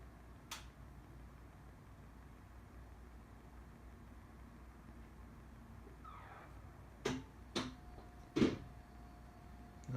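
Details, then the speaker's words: Tesla Model 3 parked and switched off in a garage: sharp isolated clunks over a faint hum as a fan switches on and off every minute or two, and the lights flash. "Now it just clunked and fan turned on. Clunked again. Fan is going right now. Some kind of fan. There's that clunk again."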